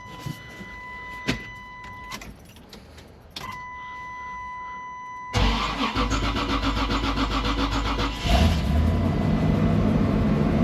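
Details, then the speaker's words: Chevy Suburban 454 V8 with a no-fuel-pressure problem, after fuel pump work and tank refit: it used to stall, but now starts first try and holds a steady, even idle. "see if it stays on that was the issue we were having where it wouldn't stay on I think it's going to stay on"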